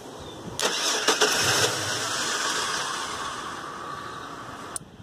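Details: Chevrolet Silverado/GMC Sierra-type truck started by jumping the starter with a thin wire at the fuse panel, battery good: quick starter whir and a few cranking beats, then the engine catches and runs steadily; normal starter cranking.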